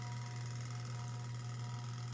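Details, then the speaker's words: Sharp Spin Magic 7.0 kg spin dryer after timer replacement: steady low electrical hum with no run-up as the motor stalls, attributed to a failed run capacitor. "Ayaw umandar naugong yung motor Ayaw niyang umandar nga po nakita natin na umuugong"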